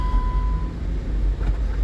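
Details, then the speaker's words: 2008 Jeep Wrangler Unlimited X, six-speed manual, 120,000 miles, stationary: low steady engine rumble through the shifts from first to fourth and the downshifts, with no grinding, resistance or synchro issues. The gearbox shifts cleanly. "you can hear the shifts are good they're they're solid there's no grinding I did all all all the first through fourth gears and there's no resistance or Synchro issues nothing like that"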